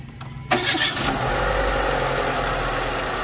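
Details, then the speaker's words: Renault Megane 2 with cylinder 2 and 3 ignition coil circuit faults and loose coil connectors, started after tightening connectors: quick crank, steady even idle with no misfire; ECU, coils and wiring fine; normal start and idle. "Le moteur tourne bien. donc tout va bien ; ordinateur, bobine et câblage"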